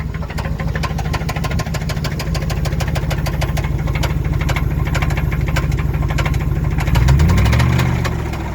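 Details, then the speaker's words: Engine with heavy, regular knocking, about three knocks a second, over a deep rough rumble: a classic connecting rod knock, with the owner suspecting one or two con rods damaged by too many limiter burnouts. "that's a classic example of a connecting rod just swinging around in there i mean it's still connected to the wristband don't swing"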